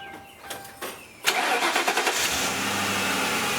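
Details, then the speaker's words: 2001 Ford Crown Victoria 4.6-liter V8 just after replacing all eight coil-on-plug ignition coils: short crank catches fast, then a steady, even idle with no stumble or miss; normal. "and here we will start the car up and we'll let you hear it once how it's running"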